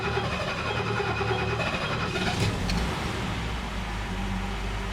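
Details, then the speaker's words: 1969 Mercedes 280SE straight-six, first start in many weeks on original fuel pump, suspected head gasket leak: catches and settles into an even steady idle with no misses or tapping, sounds good. "is what I love to hear. Yes. She sounds good, doesn't she? If only all the rest of her worked as well as the little engine."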